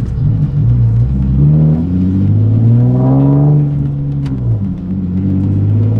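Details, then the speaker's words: Turbo Nissan Z after installing new downpipes and exhaust to cure a bad exhaust leak, revved while checked for leaks: blips up and settles back smoothly, deep even note, no ticking or puffing; healthy exhaust, no leaks. "i need to take it out for a rip but are we gonna check for exhaust leaks first that's uh very important don't really hear any exhaust seats"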